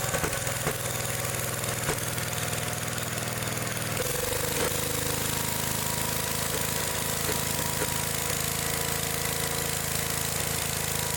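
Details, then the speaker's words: Old Gravely small engine revving ragged and uneven with irregular knocks, running badly at high RPM. The points are arcing, and carburetor adjustment doesn't help because the ignition points and condenser are worn. "so see how it runs real like real crappy at high RPMs and stuff and sitting there adjusting the carbet trator and ain't doing any good that's cuz it's got an ignition problem the points of condenser are wore out"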